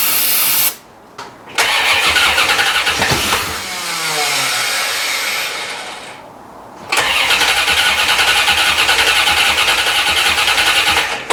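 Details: 1990 C4 Corvette, rebuilt after blown head gasket and sitting five years, low on gas: starter cranks steadily at about three and a half turns per second but never fires; suspected no fuel delivery.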